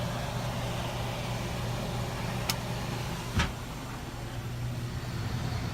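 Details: Cooler compressor after thermostat replacement, which fixed a compressor that would not turn on: steady low hum holding evenly under faint outdoor noise; compressor running smoothly and normally. Condenser noted very dirty.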